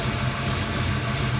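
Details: Big-block Chevy V8 after installing Remflex header gaskets without removing heads: deep steady rumble with even beat, no ticking at the manifolds, only header noise; normal idle, no exhaust leaks.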